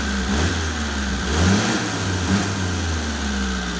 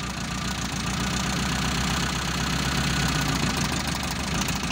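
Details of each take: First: Mitsubishi Colt T120 SS fuel-injected engine after the dead spark plug was replaced: revs up and back smoothly with an even, unbroken beat and no stumble or miss, all cylinders firing properly. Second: Mitsubishi Colt T120 SS fuel-injected engine with a misfire, cylinder-balance test with one plug wire pulled: idle turns lumpy and uneven, about three or four stumbles a second, so that cylinder was firing.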